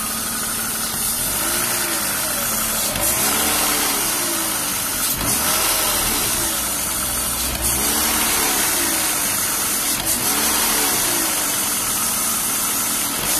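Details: BMW E36 328i Cabrio, M52B28 engine, at idle: steady loud airy hiss from roughly under the intake manifold, plus a light rattle that seems to come from the engine itself, not the VANOS, with a slow surge; owner suspects old oil, long overdue change.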